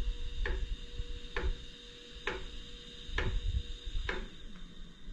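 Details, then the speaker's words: iOptron GEM28 telescope mount slewing at speed 9 on one axis only: sharp clunks about once a second over faint motor whine; minimal at slow speed, owner suspects backlash affecting PHD2 guiding calibration. "if the speed is slow the noise is minimal but if i if i set the speed to like nine notice the noise that it makes"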